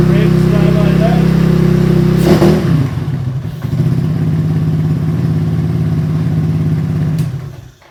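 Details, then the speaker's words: Supercharged Postie bike single-cylinder started cold (14 degrees) with choke: revs rise then drop back slowly to idle, hanging after throttle-off because strong blower suction makes the carburettor slide stick. Blower is over-driven. "what happens is it's still sucking so hard that the slide is sticking, so you ride along, just light revs, and you come to a stop, you back your throttle off,"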